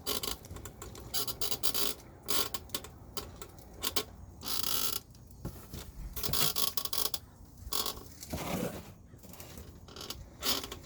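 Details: Golden Technologies Buzzabout power wheelchair, two months old, rolling on pavement: irregular creaks and ticking clicks from a squeaking seat post, fixed by lubricating the seat post.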